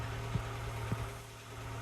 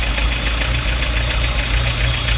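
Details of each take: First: Peugeot Boxer Auto-Sleeper camper that was hunting and running rough, now running right: low, steady idle hum with an even beat, no stumble or hunting. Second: Peugeot Boxer auto-sleeper camper engine hunting at idle while the auto choke is on: uneven idle surging and dipping with an irregular stumble, drawing in lots of air and eventually cutting out; owner suspects failed MAP sensor.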